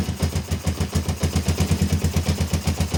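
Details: Kawasaki ER-5 twin, stored 2–3 years and previously dying at full throttle, idling after carb refit with new fuel-inlet O-rings: low throbbing exhaust beat, about four pulses per second, lumpy and irregular; rough idle, cause unconfirmed.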